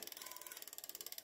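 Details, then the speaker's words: Lankeleisi X3000 Max dual 1000 W motor fatbike, rear brake: light, rapid, high scraping tick with each wheel turn because the disc is not centred. Fix is to loosen the two caliper screws and recentre it. Brake disc rub. "je suis en train de vérifier au niveau des freins on peut entendre qu'à l'arrière voyez ça fait du"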